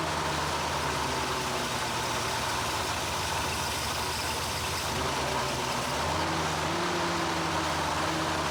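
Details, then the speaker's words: 1975 Chevrolet Corvette Stingray, long-stored, just after Edelbrock carburetor rebuild (previously died immediately): now holds idle on its own but the beat is uneven and hunts; still rough, idle and carburetor adjustment still needed. "obviously it's still not running right but it's super dark outside but it is running and it stays running by itself"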